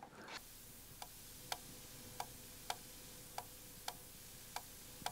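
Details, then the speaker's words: Macintosh 128 with Rev B ROMs and -22 floppy drive, failing to boot from disk: soft, sharp ticks about every half second; drive clicks without loading, track zero sensor suspected faulty. "if we try to boot it still doesn't boot from the diset and I can hear a very faint ticking noise"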